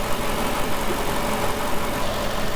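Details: CLK 55 AMG V8 idling after gearbox rebuild, transmission oil checked at 83° and level correct: deep, even burble with steady firing and no knocks or misses; engine sounds healthy.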